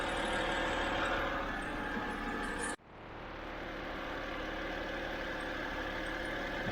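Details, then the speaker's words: 2007 BMW 328i E90 after replacing the electric water pump and thermostat, left running to get hot and check for leaks: quiet, steady warm idle with a soft even hum, no ticking, whining or stumbles; sounds healthy. "so i'm just gonna just let it run i'll probably put the cap back on i'll let it run for a few minutes get it nice and hot"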